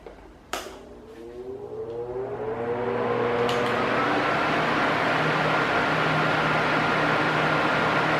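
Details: Arno Silence Force 40 cm fan at maximum speed: spins up, then holds a steady loud rush with an even hum and no rise and fall. This is normal; an oscillating loud-soft noise would need service.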